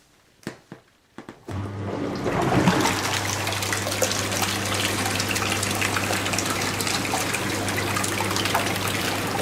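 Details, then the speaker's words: Jacuzzi hot tub pump, tub filled with water, after fixing the hard-to-press air push-button: a few clicks, then a steady low motor hum under rushing, churning water; pump starts and runs normally. "It's working. Now turn it off. No problem."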